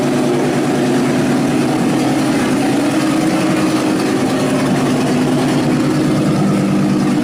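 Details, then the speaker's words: 1934 Ford pickup hot rod with electric exhaust dumps, idling; dump position is unclear, though it is very quiet with the dumps closed: steady, smooth, even drone at a constant level, no ticks, knocks or stumbles; normal idle, healthy. "Sounds healthy. Is that with the dumps open? And with them closed, it's dead quiet? Real nice."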